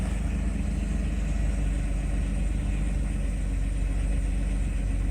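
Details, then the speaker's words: 1995 Mercedes S600 V12 after repaired throttles (shorted wires replaced, motors serviced) and repaired E-gas module, cold start on a warm day: low, smooth, steady idle with no hunting or surging; idle speed correct. "as we see our idle speed is correct and again this is cold start today is a warm day"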